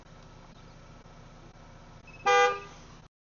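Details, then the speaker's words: 2016 Chevy Equinox after replacing bad TPMS sensors: one short horn toot over a quiet idle during relearn, confirming that wheel's sensor has been learned. "Hear that? That means that one's learned."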